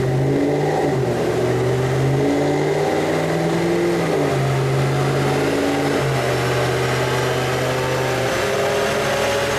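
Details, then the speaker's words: Car after JLT cold air intake install and SCT tuner retune for new air-fuel ratios, before dyno test: clean smooth revs climbing and easing off, even exhaust note, no misfire or rattle; normal revving. "Now this is how the car is supposed to sound."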